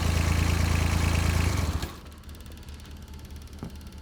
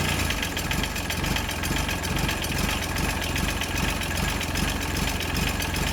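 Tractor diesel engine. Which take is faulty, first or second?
second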